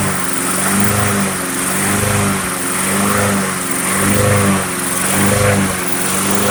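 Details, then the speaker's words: Briggs & Stratton Quantum Craftsman mower after storage with old fuel, started on starting fluid with air cleaner off: single-cylinder runs with gentle once-a-second speed rise and fall after initial surging, easing into even running. "All right, so it started up, it ran and surged for a bit there, right? And then it seemed to settle out."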